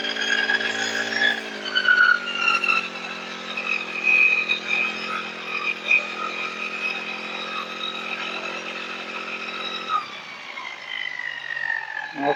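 High-pitched, steady buzz holding constant speed for over ten seconds without sputtering; the small engine runs smoothly now.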